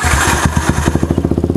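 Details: Yamaha Vixion motorcycle with battery-charging complaint: engine catches, settles into even steady putter about thirteen beats a second; idle shows 13 V charging, 14 V when revved; normal healthy idle.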